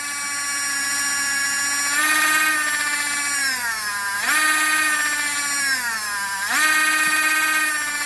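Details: LGB small locomotive motor and reassembled gearbox on bench supply at 20-24 volts, half to one amp, speed being eased: loud high gear whine swelling and easing, smooth with no grinding or clicks; normal at full speed.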